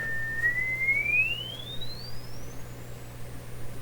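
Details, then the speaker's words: Westinghouse oval cone loudspeaker from a 1928 RCA Victor 28 radio, swept with a test tone: a clean pure tone glides up from about two to eight kilohertz with no buzz or rattle. Respectable treble response, about 6,000 Hz and audible to 8 kHz. "that's 6,000 Hertz it's actually pretty respectable that's actually pretty respectable for an old speaker like this"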